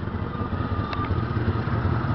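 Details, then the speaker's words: Chevy Caprice Classic station wagon with 5.7 V8, at idle: deep, rough, uneven rumble much louder than stock; loud exhaust, needs exhaust system work. "You can hear the exhaust. It's pretty loud. That's going to need exhaust system."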